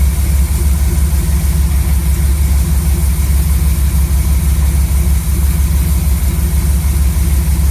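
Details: Chevy C10 V8 truck with a new Maxpeedingrods Quadrajet carburetor: deep, steady rumble with an even beat and no misses or knocks. Idle was raised quite a bit and mixture set by vacuum gauge to about 15 in. Smooth, normal idle.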